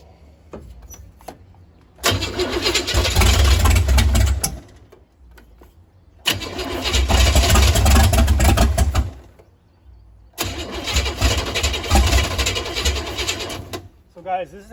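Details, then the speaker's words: 468 big-block Chevy V8 in a Nova, cranking on 87 octane though set up for 93/race gas: three long cranking bursts, steady chug about four beats a second with occasional pops, never catching; ignition timing too advanced, later pulled back. "So, we just had to pull it back a little bit and it wasn't turned over so hard. It wasn't firing at the right time."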